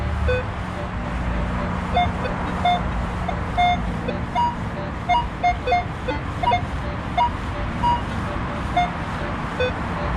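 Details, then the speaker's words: Minelab Equinox 800 metal detector at an old school near a street: choppy, irregular high and low tones breaking up over traffic noise. The signal is iron falsing, and the target dug up was a nail. "So it might just be iron falsing, but I'm gonna dig it anyway."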